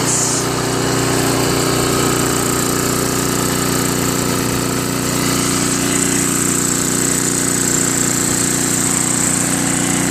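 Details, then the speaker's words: Craftsman 522 snowblower with Tecumseh engine, after three carburetor cleanings including ultrasonic, auger cable tightened and linkage corrected: steady, even single-cylinder drone under governor with no stumbling or surging. Runs, drives and blows normally. "Now it runs fantastic, it drives, and it blows."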